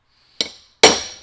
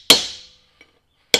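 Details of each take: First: Mack Cruiseliner right front hub, bearing race hammered in with a chisel: two sharp metal blows with a bright, lingering ring instead of a dull thud; race bottomed out solid, confirmed down all the way. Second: Mack Cruiseliner right front hub, bearing race being hammered into the hub with a chisel: sharp, ringing blows at an uneven pace; still sounds hollow, so the race is not yet seated.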